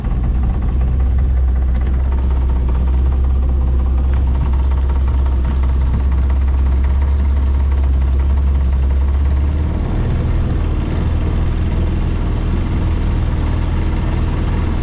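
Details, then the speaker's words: Outboard on a $700 auction boat held at full throttle on the lake: low drone that stumbles and pulses about three times a second, running rough; the owner suspects it needs adjustment. "So far it runs and floats though. Doesn't run real good, but I mean it is running."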